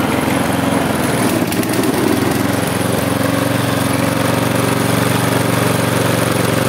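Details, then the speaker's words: Husqvarna J55S mower, Briggs & Stratton 650 engine, running while air filter screw is turned (not a real adjustment screw); engine hunts, stumbles, settles into uneven putter with vibration. "To nie jest żadna śruba regulacyjna Oczywiście że nie to jest tutaj śruba od filtra powietrza kosiarka mimo to i tak ma wibracje"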